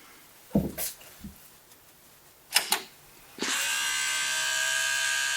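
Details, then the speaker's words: Pentium 200 MMX Windows 98SE PC at power-on: a few clicks, then a loud, steady buzzing whir that holds; the floppy drive is making the abnormal noise. "noisy well look at that well looking good so far it's literally the floppy making all that noise"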